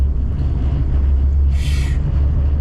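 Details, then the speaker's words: Honda CR-V off-road camping car on oversized tires, after control arm/bushing work to correct positive camber; deep steady droning roar while driving, loudest at the rear, brief hiss midway: tire road noise. "These ginormous tires definitely makes a lot of noise, and I can really hear it in the rear."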